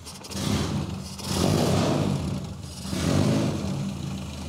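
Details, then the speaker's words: A-series Mini engine with no muffler, freshly started in neutral during tune-up: stumbles along with slow, uneven low beat and surging loudness, barely running; idle set far too low, both carburetor idle screws turned up, still not enough, running rich. "barely running [Music] we're gonna turn the idle up turn both of these screws maybe a full turn"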